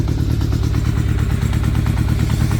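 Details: 1983 Kawasaki GPz550 four-cylinder, first start after two seasons, new pod filters, carbs not rejetted: brisk, even idle with steady firing pulses, no misses or knocks; normal idle.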